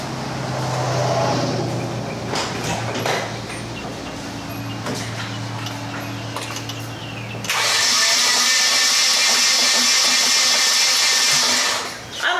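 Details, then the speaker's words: Nissan 240SX KA24DE engine that won't run, testing compression with spark plugs barely in: steady starter cranking with a lumpy beat on each turn, sounds like it has compression; not yet confirmed. "you heard that did you hear it sounded like it had compression"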